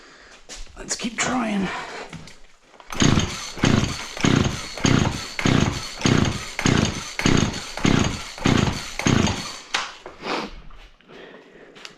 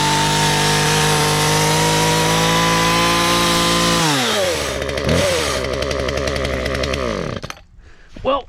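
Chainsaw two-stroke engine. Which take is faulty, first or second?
first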